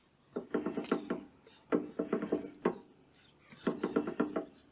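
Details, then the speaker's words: Woodland Mills HM130 Max portable sawmill, blade wheel spun by hand with the microphone close: rough, squeaky chirps in groups. The idler/tensioner bearing is bad, possibly since the blade hit a nail in bur oak and dove; milling surges sideways. "But that noise is coming from my idler here. And I don't know if hitting that metal and the blade diving caused it to, the idler bearing to go out or something."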